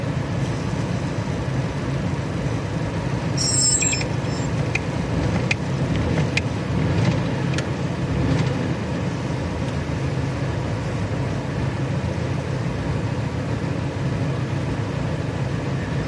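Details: Petrol engine that suddenly lost power while driving: rough, uneven, lumpy idle with jumping revs; misfire persisted after new spark plugs, so a dead ignition coil was blamed and a replacement bought.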